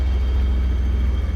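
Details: BMW E34 535i 5-speed with no exhaust fitted, idling: loud deep open-pipe rumble with uneven pulses and dips; rough idle, starts inconsistently; fan clutch and/or water pump look close to failing.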